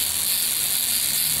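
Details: Buzz coil on the bench, 10 A meter in series: fast, harsh, even buzz with a hissy, sizzling edge; upper point has too much tension, so the points draw excessive current.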